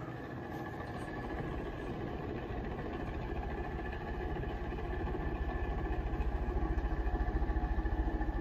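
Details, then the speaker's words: Mid-to-late-1980s 52-inch SMC A52 ceiling fan on high speed: steady low drone with a rhythmic chop near three beats a second that grows stronger, like a helicopter; worn, very loud motor bearings. "h so here's high speed [Laughter] yeah the bearings on this thing are ridiculously loud"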